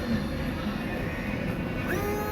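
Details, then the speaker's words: Jeep Cherokee Latitude whose front and rear washers would not spray, after a new washer pump was fitted: short, steady electric whir with a slight pitch rise as fluid pumps; washers now work normally. "Yes. So now I have windshield washer operation. Okay, that's all the customer wants, is for her windshield washers to work."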